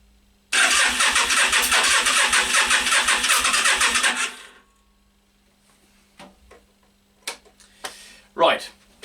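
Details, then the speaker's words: Yamaha Virago XV 500 cafe racer in snowy cold, ran fine a week earlier: about four seconds of steady cranking with rhythmic chug, no firing, then stops; won't start, owner suspects spark plugs. "it's not firing and I'm guessing now is the spark plugs"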